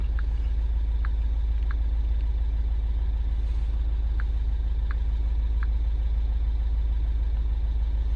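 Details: MINI Countryman Cooper S R60 after clearing codes (boost pressure, VANOS intake control) with management light still on and low battery: steady, even low idle with no knock or misfire, faint chirps in background; sounds healthy.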